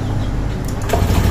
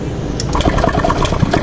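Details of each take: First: Euro Griffin 180i scooter after tightening the connection to the adaptor to stop the leak: starts, settles into a strong even low throb with no stumbling; normal start and idle after repair. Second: Euro Griffin 180i scooter with hard starting and erratic idle, intake hose loose: starter churning with sharp irregular pops and cracks, engine dies; backfire from an air leak at the loose intake hose.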